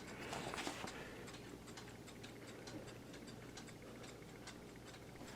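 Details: Light, even ticking at a steady pace in a quiet room from a 1974 Seth Thomas Country Pine C-cell battery clock with pre-quartz movement, after cleaning, lubrication and bench testing; the movement is running normally.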